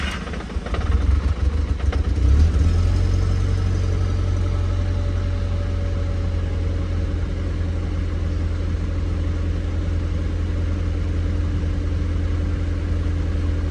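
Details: Cheap scrapyard-saved Mk1 Audi TT, started with a jump from another car after being de-immobilised, engine management and airbag lights on; brief crank, catches, settles into a steady even low idle without misses or knocks; idling fine.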